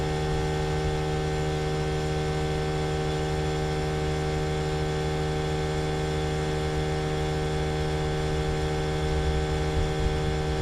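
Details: Trane XV18 heat pump outdoor unit, installed December 2021, running with a loud steady drone and strong electrical buzz, no rhythm or pitch change. It hums far too loudly, called a lemon.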